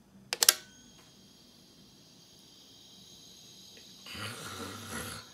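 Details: Brand-new Samsung SmartThings outlet just plugged in: a click, then a thin, steady, high-pitched buzz that continues unchanged, reportedly also while switched off; abnormal buzzing of unknown cause.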